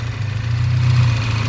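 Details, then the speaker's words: VW Scirocco with a rebuilt MK6 Golf engine, running after a restart: steady, low, even idle rumble with no knocks or misses, consistent throughout; healthy idle. "It's good. It's running like this with this fuel inside. It's a miracle."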